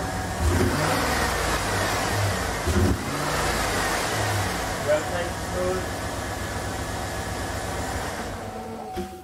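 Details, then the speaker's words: 2007 GM 5.3 L V8 with AFM/DOD after collapsed lifter fix and displacement on demand programmed out, codes not yet cleared: smooth even idle, steady low hum, no lifter ticking or misfire; normal idle. "fire this thing up just so you can hear for yourself that it runs good"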